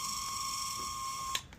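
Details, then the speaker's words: Ryobi misting fan water pump whose seized rotator was freed by hand: thin, steady high whine at one pitch, cutting off abruptly, from the dry drive gear; silicone lubricant on the housing where the gear turns quieted it. "the motor was making noise. So, I added a little bit of silicone lubricant to the housing right where the gear turns."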